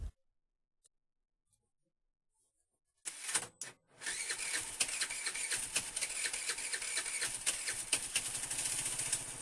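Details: Chinese scooter with a weak spark that won't start on the electric starter when cold, being tested with a transistor switch: quiet at first, then catches and settles into a quick, even idle. Normal start and idle.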